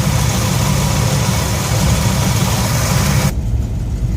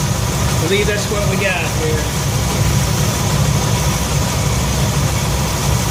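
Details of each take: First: 1966 Ford F100 V8 shop truck after Pertronix electronic ignition upgrade: smooth, even low burble at about 750–770 rpm, within cam maker's 750–800 spec, no stumble or miss; normal idle. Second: 1966 Ford F100 V8 after Pertronix electronic ignition upgrade, idle around 700-750 rpm: steady, slightly fast lumpy idle, no knocks; timing about 10 degrees over-advanced, to be retarded to 10 degrees BTDC.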